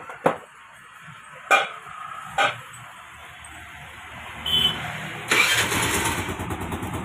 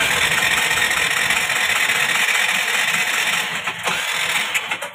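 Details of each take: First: Scooter that would not start despite spark and a good plug, started after adjusting tight tappet clearance: a few sharp start attempts, then the engine catches and settles into a steady, even idle; starting and running properly. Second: Scooter with spark present and a good plug: starter spins the engine evenly but it never fires, because tight tappets hold the valves open and kill compression; cranks but no start.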